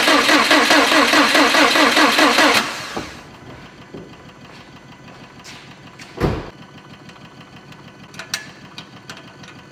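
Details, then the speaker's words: Subaru STI hatch with freshly built engine, crank sensor and injectors unplugged, turbo oil feed line off, cranked to prime oil: even, steady cranking with regular compression pulses for about 2.5 seconds, no knocks or scrapes; healthy turnover, no start. "crank it until we get some oil out of the turbo feed line reason for that is we want some oil moving around we want oil going into the turbo immediately and i also want to make sure we don't have any weird sounds just by turning it over"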